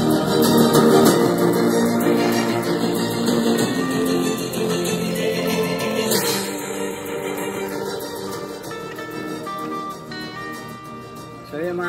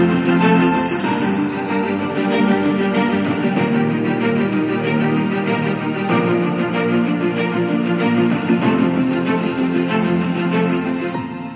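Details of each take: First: JBL Bluetooth speaker playing music before repair: harsh crackling rasp on louder notes, distorted "basag" sound from torn speaker cone edge, to be fixed with electrical tape. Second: JBL Bluetooth speaker after cone patched with firmly stuck electrical tape, cover off, switched on: music full and clear, no buzz, rattle or crackle on bass; cone sound, distortion gone.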